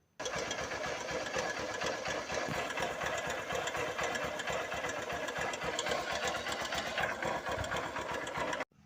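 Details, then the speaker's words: 2007 Honda Titan 150, carbureted, at idle: single-cylinder with a fast, even metallic clatter like iron knocking, riding over the exhaust beat. "Aí pessoal, vocês viram aí, ó um barulho bem chato. É como seesse ferro batendo, né?"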